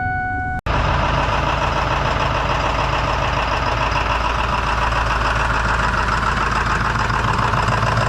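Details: Truck starting after a new unit was fitted and the batteries reinstalled, after a busted terminal head and half an hour on the block heater; a brief beep, then the engine catches and settles into a steady, even idle with no misses.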